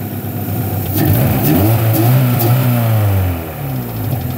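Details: Honda H22A 4-cylinder after cleaning the fast idle valve air channel with throttle body cleaner to cure high cold idle: engine revs up cleanly and settles back without stumble or hunting; healthy throttle response, quieter than before.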